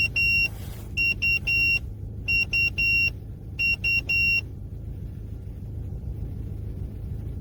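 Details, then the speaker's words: Opel Omega B with a 4th-generation propane-butane LPG system: sharp groups of beeps over a steady idle, then silence. Pressing the forced on/off button clicks the valve, but the system drops into emergency mode as if out of gas, though the gauge shows half a tank. "Lorsque vous essayez de l'allumer, il passe en mode d'urgence, comme s'il n'y avait pas de gaz, même si l'indicateur indique qu'il y a au moins la moitié du réservoir."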